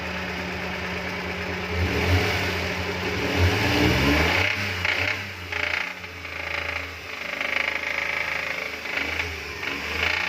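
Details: F6 engine with white smoke revs up, then settles into a rough run with irregular tapping knock.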